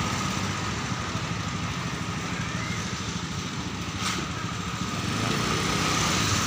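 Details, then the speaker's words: Honda Beat FI injection scooter after fixing a wiring fault first thought to be a bad sensor (stuttering, bogging while riding): starts without pushing and holds a steady, even idle putter with no sputter or dropouts. "Masih normal ya untuk datangnya tuh nggak didorong ya masih bisa hidupnya"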